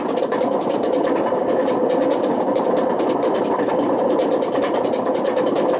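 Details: Washing machine run on with badly worn drum bearings: loud, steady roaring rumble right through the high spin with no let-up; the wear damaged the spider and wore the motor.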